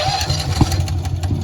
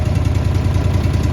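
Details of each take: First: Honda EB11000 generator on a 20 lb propane tank in cold weather, after priming and slowly opening the fuel valve: uneven chugging that coughs and quits within seconds. Cranks but will not run. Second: Honda EB11000 generator running on propane from a 20 lb BBQ tank in cold weather, after needle-valve adjustment and with idle lockout engaged: steady, even low rumble at idle. Full speed is about 3700 rpm.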